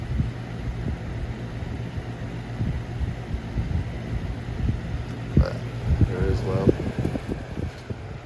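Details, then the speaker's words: 1999-2000 Lasko box fan model 3733 with flower petal blade on low speed: soft, even low whoosh with faint steady hum and a few light rattles, probably from the brittle handle; quiet, healthy running. "Now low on this fan makes a perfect like white noise for the night. You can barely hear the fan."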